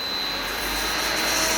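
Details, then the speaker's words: Booster pump running alone holding about 75 PSI set point: loud steady hiss with fixed high whine; suspected pump bearing (rotational) problem rather than check valve. "Now, what you do have potentially, it's a pump bearing problem."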